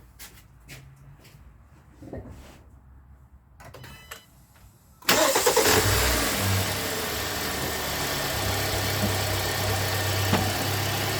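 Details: 2017 Hyundai Santa Fe Sport 2.4 with P0301 misfire, started after service and oil fill: quiet, then catches and settles into an even, steady idle with no stumble; codes cleared, check engine light off, running smoothly.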